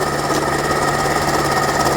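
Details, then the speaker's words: 2010 Chevy Traverse that sat about a year, AC system leaking with lines blocked off, checked with a stethoscope: steady metallic whir with a faint rough rattle from the compressor front, clutch hanging off; noise is the failed AC compressor clutch, not the engine. "so thankfully that noise is coming from our air conditioning compressor not the engine"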